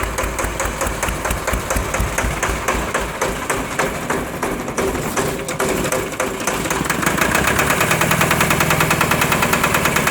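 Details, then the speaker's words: Onan 30kW generator with 4-cylinder Ford diesel, first start after bleeding air from injector pump, running smoky: slow uneven labored chugs before speed picks up and steadies, hiccups; owner thinks it sounds like lugging but unsure. "oops hiccuped a little bit see sounds like it's lugging but i'm not 100 sure it is"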